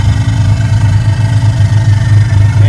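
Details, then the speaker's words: Mazda RX-7 FC 13B rotary, converted 6-port to Turbo II intake with new standalone aftermarket ECU and TPS, idling: rapid even low burble with steady brappy pulse, no misses or stumbling; runs better, no longer smoky; normal idle. "uh it's running way better with the stand alone so I mean just updating going with a stand alone the car is going to run way better"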